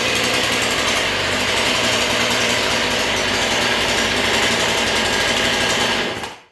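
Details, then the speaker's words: Repaired Husqvarna 440 chainsaw, bar and chain refitted (chain a little loose), started on choke: loud, high buzzing two-stroke note held steady at speed with no stumbling, then cuts off cleanly; normal running. "But the saw runs great. I'll go ahead and crank it up here and let you listen to it."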